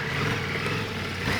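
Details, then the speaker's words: Ducati four-cylinder motorcycle accelerating with twin-pulse firing order (bang, bang, pause, bang): lumpy paired exhaust beat; gives harder torque hit and tire grip recovery time. Normal twin-pulse firing under acceleration. "And what you're hearing right now is a twin pulse firing order. A 4-cylinder like this bike could go bang, bang, bang, bang. But instead, this one goes bang, bang, pause, bang,"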